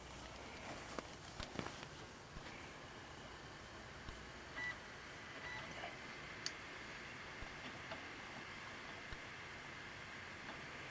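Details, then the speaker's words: Lenovo G40 laptop after replacing the noisy fan, whose bearings/mechanism had failed: only a soft, steady airy hiss with no rattle or grinding; the new fan runs smoothly and quietly, normal operation. "don't hear nothing but good air i feel the fan actually doing his job i don't hear all that noise sounds good"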